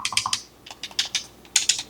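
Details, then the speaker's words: Used Asus ROG Ally X handheld: crisp, quick button clicks in small bursts with no rattle or mushiness; buttons tactile and responsive, normal. "The buttons and stuff seem nicer."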